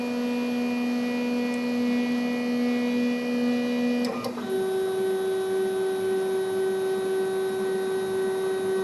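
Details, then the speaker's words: CNC machine homing cycle with stepper motors: steady motor tone, quick click as axis bounces off home switch, then higher even tone as next axis homes; normal homing. "when it does it if you listen closely you'll hear the as it bounces off the home switches you can hear them click"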